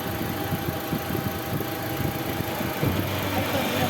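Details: Mitsubishi Fuzion with the air conditioning on, after opening the cover and adjusting the AC belt to cure a whistling noise: the engine idles evenly with no squeal, chirp or rumble from the belt side, and the idler runs quiet.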